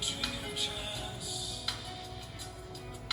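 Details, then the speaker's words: Aiwa HS-PX610 walkman with HX head, after capacitor repair and azimuth corrected (was way off, no high frequencies); playing pre-recorded tape: clear music, crisp full treble, steady pitch, no dullness or wow; normal cassette playback. "I will put in uh Stinger set for example pre-recorded one yeah okay spit now as you can hear very clister clear sound is going out"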